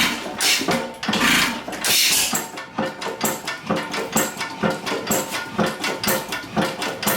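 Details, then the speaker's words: 6hp Stover hit-and-miss engine with new Babbitt: slow firing beats with a sharp light tap on each stroke; wrist pin knock heard, probably the next project. "You guys can hear that wrist pin knock. That'll probably be our next project."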